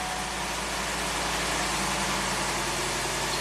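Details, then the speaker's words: 1993 Cadillac Allante Northstar V8 with a new fuel pressure regulator, fuel pump primed and intake manifold cover resealed, after sitting a few hours: fires right up and settles into an even, steady, smooth idle with no stumbles, knocks or hunting. Earlier complaints were long crank after hot soak and an idle speed code. "New fuel pressure regulator. I primed the fuel pump. Let's see if it fires up. Fires right up."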